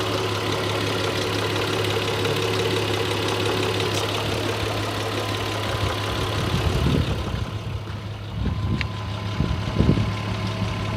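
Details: Audi A6 C4 2.6 ABC engine at idle: a steady hum with a few faint, irregular knocks late in the clip, quieter in person than recorded. The owner could not localize the source of the intermittent knock.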